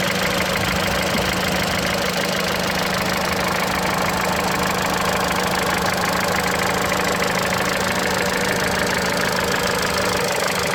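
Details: Mitsubishi Lancer X, 4B10 1.8 engine with CVT, cold idle: a loose, uneven tapping of roughly two per second rides over the engine hum; knock only at cold idle, origin unknown.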